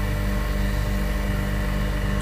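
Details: Refrigeration unit compressor running after its tripped breaker was reset; it tested OK and draws about 6.5–7 A, with the condenser fan on speed control: steady low hum at an even level with no knocking or rattle; compressor running normally.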